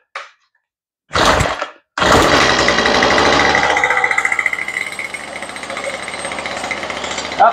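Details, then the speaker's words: Toro two-stroke weed eater that sat unused, primed and on choke: catches after a couple of pulls, runs steady fast buzzing rattle without dying; starts right up and runs well. "good time now that's funny she started right up and she worked perfect"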